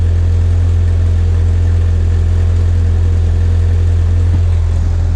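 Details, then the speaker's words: 1986 Ford Aerostar, 2.3 L four-cylinder with 5-speed manual, cold and stiff but started right up, revved while parked: deep, even, punchy, burbly rumble with a steady low pulse and no knocks or rattles; a normal, healthy exhaust note. "So it's got a nice punchy, it's got like a nice sort of burbly, farty rumble."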